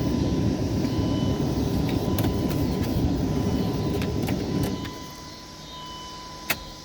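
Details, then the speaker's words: 1999 Dodge Durango after intake manifold replacement (was using a quart of oil per 250 miles), key cycled: steady buzzing whir a few seconds then cuts out as pressure builds; normal fuel pump priming. "Now I'm going to cycle the key a couple of times to prime the fuel system."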